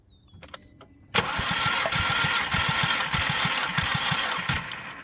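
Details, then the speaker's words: 2010 VW Passat with active misfire, during compression test (about 150 psi): starter turns engine in steady, sluggish pulses, about three a second, with no catch; slow cranking, battery suspected dead, jump pack then fitted. "like the battery dead have to go put a jump pack on it"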